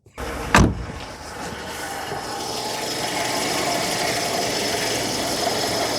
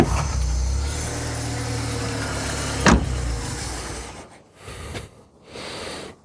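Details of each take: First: 1987 VW Polo Mk2 Fox, original low-mileage 1-litre single-barrel carb engine, after fixing the idle fault: catches quickly, flares, then settles to a smooth steady idle, "running like a sewing machine", before idle mixture adjustment. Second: 1987 VW Polo Mk2 Fox base model, original and low mileage, 1-litre single-barrel carb, four-speed; engine runs rough about four seconds then stalls, won't idle, traced to missing idle mixture screw.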